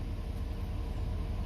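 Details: 2019 Ford F350 6.7 Powerstroke diesel, warm, idling after fuel filter changes, before revving to purge remaining air; low, even rumble with a steady beat and no knock or misfire; a healthy idle.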